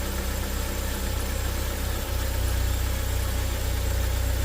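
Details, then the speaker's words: 2015 Joylong Chinese van/bus, not yet warm, open loop, ECU already replaced elsewhere: low uneven pulsing rough idle, skipping and losing power, stalling; noise heard from throttle area. "okay so I'm noticing the rough Idol that the customer is experiencing yeah is oh okay it's like it's skipping"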